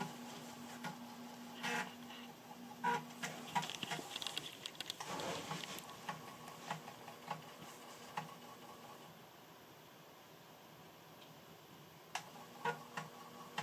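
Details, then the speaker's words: Amiga 600 floppy drive reading a copied game disk: quiet bursts of clicking head steps and soft whirring seeks; normal, healthy floppy drive operation. "it's just nice to hear the disk drive guide frankly"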